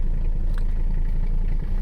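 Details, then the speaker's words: Abandoned Mercedes 300CD diesel, revived, after waiting on glow plug relay: steady low diesel rumble with even light clatter, no misses, rpm coming up on all cylinders; owner notes knocking, suspects exhaust mostly gone. "like a dream not really building much oh there's the rpm we're on all cylinders now boys"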